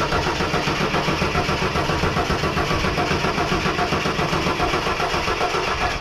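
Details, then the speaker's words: 1983 Ford XE Falcon 4.1L Crossflow EFI, sat for years, ex-LPG with mystery wiring, throttle held open: starter churns steadily for about six seconds, never catches. "okay so we're just going through uh different uh causes that maybe you won't be firing"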